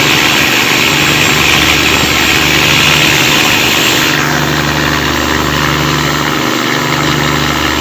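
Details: Cummins KTA19 marine diesel with a fault of noise and black smoke: loud, busy clatter at steady speed, rougher than normal; cause suspected, not confirmed.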